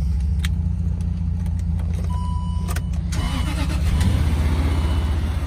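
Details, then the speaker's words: 2006 Land Rover LR3 4.4 V8 just after replacing the cam timing chain tensioner to cure a rattle. Smooth, deep idle that rises slightly with a blip, with no chain rattle or ticking: normal start and idle. "Ah, it purrs like a kitten."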